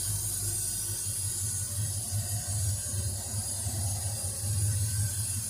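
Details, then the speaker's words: Ford Fairlane engine idling after mechanical fan reinstall; loud steady air hiss over low, uneven idle rumble, owner notes unusually heavy suction through the carburetor, cause not found; loud intake hiss. "I don't know if you can hear how much suction there seems to be going through that carburetor. That seems like an awful lot to me. I've never heard one like it's just sucking so much air."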